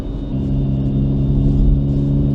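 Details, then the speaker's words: Cheapest roadworthy petrol car bought in Finland for €400, driving at about 5°C outside with a slightly leaking exhaust; deep, loud droning rumble, boomier than stock, from the exhaust leak. "On muuten hienoa, kun toi pakoputki vähän vuotaa, niin tulee komeammat äänet."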